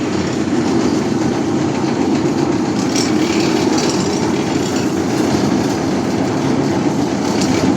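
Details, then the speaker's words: Newly built chain-driven lechon roasting machine test-run after tightening, checking chain alignment, brakes not yet fitted: steady, dense metallic clatter throughout; chain drive rattle, owner says noisy because no brakes yet, cause not confirmed. "So, mga kababayan, maingay pa ito mga kababayan kasi wala pang ano, brakes."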